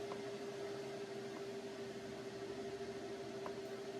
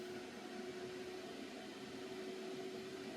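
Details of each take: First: PC running CPU miner instances at 58% memory, opening 100 more: steady, fairly high whirring hum at even pitch with no rattle or scrape; CPU fan spinning fast under heavy load. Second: Computer running CPU mining with hundreds of processes under heavy processor load, fan quiet mode switched off. A steady airy rush with a constant hum tone. Finding: cooling fan at high speed.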